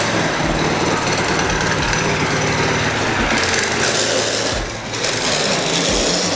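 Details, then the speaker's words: Baja Warrior mini bike, muffler shield removed: engine revs hard with loud irregular rattling clatter; unidentified noise, owner wonders if it's the chain. "all right what's that loud ass sound is it the chain"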